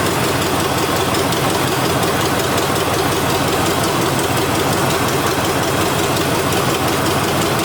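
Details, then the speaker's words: Neglected Chevy C10 with a formerly seized 5.7L 350 V8 at first start, with an exhaust leak and a suspected vacuum leak: a fast, raspy, throaty high idle that won't settle; a sticking part needs adjusting, cause unconfirmed. "Well, it runs. I can't get it to idle down."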